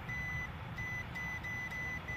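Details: 2005 HVAC package unit scroll compressor whose contactor stuck closed while the owners were away. The meter beeps repeatedly from a terminal to ground, with windings open to one another: a grounded compressor winding.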